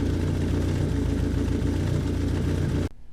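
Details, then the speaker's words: 1981 Yamaha XS1100 Midnight Special with 4-into-1 aftermarket exhaust, after oil and filter change (previously overfilled, possibly fuel in oil); steady even multi-cylinder beat, no knocks, then clean shutoff; normal running. "Seems to be running okay, so we'll shut her off, let the oil settle, and we'll check the level."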